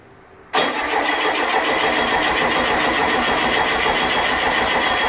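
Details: Stock 1600 dual-port air-cooled flat-four with single EMPI quiet pack, not started in years: catches abruptly, then rough uneven beat around three or four a second, reluctant after long storage.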